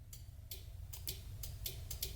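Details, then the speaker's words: Fuel pump relays on a twin-turbo 5.3 New Edge Mustang, tested by applying 12 V and ground to the trigger wires: sharp, crisp clicks over a quiet hum as both relays pull in and both pumps run; normal relay click. "I have a click and then now if I give this one ground while giving this one positive so I'm giving the green one power and then I'm giving gray one ground and both pumps work so they're both relays I can hear clicking"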